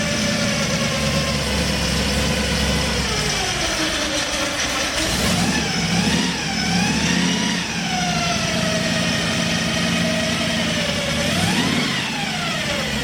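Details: 1964 Ford Fairlane Thunderbolt V8 with big cam and gear-drive timing, running on avgas, first start after build: lopey, choppy idle with a timing-gear whine rising and falling with each throttle blip; healthy, aggressive cam.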